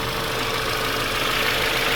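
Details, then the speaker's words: Audi A5 1.8 TFSI convertible after oil separator replacement and boost pressure sensor wiring repair: steady even idle with a faint whine, holds idle without hunting; engine light on but running fine. "It's idling. All right. Is it holding its idle? That seems to be running all good."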